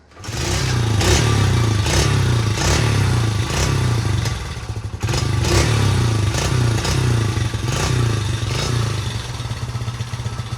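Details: 1977 Honda XL75 dirt bike, revived marketplace find with new fuel shut-off fitted after carburetor bowl dribbling fuel: small single revs up and down cleanly with an even firing beat, no knocks or rattles; normal running.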